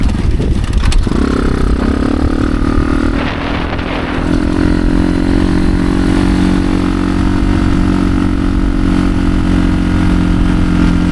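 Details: Motorcycle on trail ride after gearing changes, 16-tooth sprocket, third gear feeling too tall; low labored engine note never climbing freely, lugging near stall; engine bogging from rear wheel bound on brake caliper or axle.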